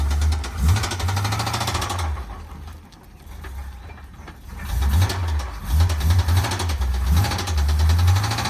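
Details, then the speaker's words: Square-body Chevy dump truck small-block V8, cold and found about 3/4 low on oil; rough, uneven low thumping as it struggles and dies, needing revs to stay running and running rich. Heavy knock felt through the floor; rod bearing suspected. "Let's see if we can't get it to fire. Everybody hear that knocking sound? And it died."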